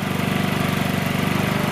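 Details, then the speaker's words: Chinese motor scooter during a basic tune-up: fast, even single-cylinder putter at a raised idle with no hunting; idle set too high so clutch drags and wheel wants to take off; also running rich, idle mixture to adjust. "wants to take off I'm got to get that idle speed down"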